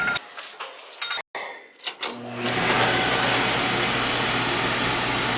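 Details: Oil furnace/boiler burner after service with replaced transformer: a few clicks, then burner lights and settles into steady, even roar with low hum, firing cleanly.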